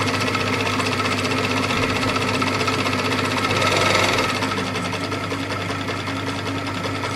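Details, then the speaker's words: Very old sewing machine running under foot pedal: fast rattly clatter about four beats a second, rising and falling with pedal speed, pedal jerky; dry, loose-sounding mechanism that seems to need oil. "it's an old machine very old machine so yeah the thing makes a bit sounds like it needs some"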